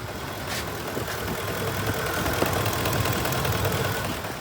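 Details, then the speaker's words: Ford truck after reconnecting a disconnected vacuum line behind the intake: steady low idle, the previous lean knock gone, fuel trims improved; normal idle. "No more lean knock in it."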